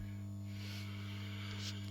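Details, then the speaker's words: Dowell iPower 3 kW hybrid inverter on test, display showing about 147–149 W: steady low mains-frequency hum with faint buzz, unchanging; inverter humming, cause not identified. "musimy poczytać instrukcje coś buczy coś tu pokazuje musimy to wszystko rozkminić"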